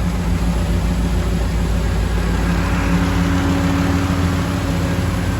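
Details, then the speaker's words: 1936 GMC truck with 5.3 L LS V8 swap, push-button start, recorded in garage, fuel pump audible at rear: even, low V8 burble at steady idle, no misses, knocks or hunting; runs smooth. "But she's running like a champ. I need to bleed the brakes still, but very happy. All that's running smooth. Sounds good in here."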